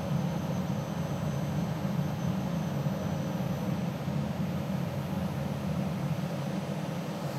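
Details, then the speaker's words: DEC PDP-11/70 under restoration, second disk drive starting: steady low hum with a smooth airy rush, no scraping or knocking; normal disk pack spin-up. "okay so now what i'm going to do is start this drive up the second disk drive"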